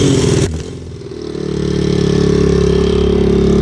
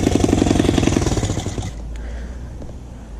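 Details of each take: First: Single-cylinder motorcycle after exhaust fix, old header gasket removed, on choke while checking for leaks: steady even thump that briefly dips then recovers, no exhaust puffing or ticking; leak gone, normal running. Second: Motorcycle just started on choke after exhaust reinstalled to fix rattling: sharp rapid puffing tick about four per second with each firing; exhaust still leaking, not sealing at cylinder head port.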